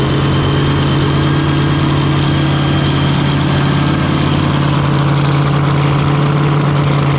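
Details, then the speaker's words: Fountain 42 offshore racing powerboat, twin 9-litre engines, run on fresh-water flush after racing, misfire reported on return; deep steady idle with even low throb and constant drone, no knocks or misses; sounds right. "a job yeah sounding pretty right let's get some food"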